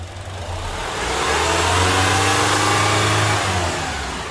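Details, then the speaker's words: Honda CR-V 2.4 K24 engine after a valve clearance adjustment to fix a noisy engine, revved quickly on a test drive: smooth climb and settle, even pitch, no ticking or knocking; now quiet and normal. "It's just a normal engine running, so it's quiet. This is confirmed. It's a fix."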